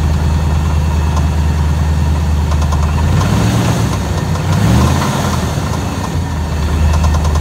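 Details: Engine with deep uneven knocking under a rough low idle, swelling briefly as revs rise; owner suspects rod knock or torque converter, not confirmed.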